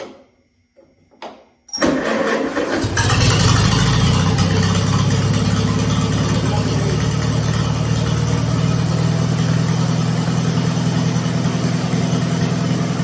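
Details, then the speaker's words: 1952 Farmall Super C, unused for about nine years with its fuel drained, started with the choke off. A few cranks, then it fires and settles into a steady, even low idle with no misses or knocks. It runs fine, though the oil filter gasket is misaligned. "Well, we got it fired off. Sounds like it's running okay."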